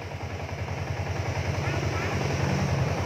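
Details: Yamaha Exciter 2019 engine idling after lean angle sensor check (sensor signal about 500 mV is OK): steady even low putter about 3.5 beats per second, no misses or knocks; clean idle.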